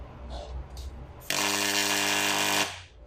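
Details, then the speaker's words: Vibration pump ("Malysh"-type) run dry on a rag during magnetic-gap adjustment: a loud coarse mains-rate growl as the piston strikes at maximum stroke amplitude, showing the gap is set correctly. "максимальная амплитуда поршня сопровождается ударами поршня оста что вызывает рычащий звук"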